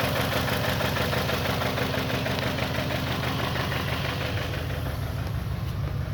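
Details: 2021 Toyota Camry at idle: uneven, lumpy beat with occasional stumble in the exhaust pulse; misfire caused by an internal ECM fault in the ignition coil control circuit.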